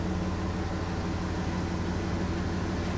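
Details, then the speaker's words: Porsche Cayenne quick start after cleaning with carb cleaner: revs stable, steady low hum, smooth settled idle with no hunting or stumble. Owner notes rough idle is worst on cold start, so a cold start is still to be checked. "But at the moment, it seems very good."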